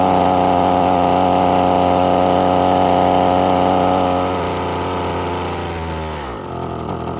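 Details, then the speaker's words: Husqvarna string trimmer, before the carburetor tuning, with a sticking-trigger complaint: at full throttle turning the string it sounds strained and bogs, and past half throttle it starts to die off; carburetor trouble is suspected. "Yeah, it just wants full throttle on. And you hear how buggy it is? That was at full throttle. Trying to turn that string. As soon as I let off of it past half throttle, it starts to want to die off."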